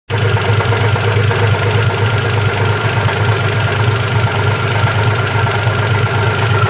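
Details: 1992 Geo Metro LSi 1.0 three-cylinder with a low, lumpy idle, uneven beat around a hundred pulses a minute, shaking and stumbling; rough idle.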